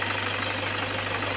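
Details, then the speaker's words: After repair, the engine holds a smooth, even hum during a rev test to check power, with no knocking or misses; the engine runs fine. "Patuloy yung tahimik na malubay. Nakahinga siya eh. Nakaluwag na pahinga."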